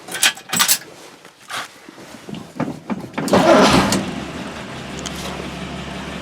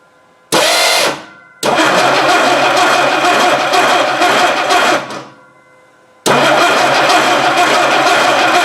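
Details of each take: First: 1960 Dodge Dart Seneca with newly installed engine after over 10 years storage, timing not yet set: a few clicks, then catches and settles into a smooth, steady, even idle with no misses or knocks. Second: 1960 Dodge Dart Seneca stored over 10 years, newly installed engine, carburetor primed with fuel, no choke. The starter spins the engine briskly and evenly in two long bursts but it never fires. The distributor drive gear was missing.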